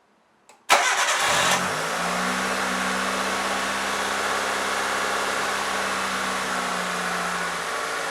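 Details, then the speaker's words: 1998 Mitsubishi Colt, over 120,000 miles, restarted after throttle body cleaning that fixed a sticky throttle and wobbly idle: cranks, catches within a second and settles into a steady, smooth idle without hunting. "you can hear the engine runs much smoother than from the beginning also the throttle pal doesn't feel so sticky and the engine nicely holds idle revs"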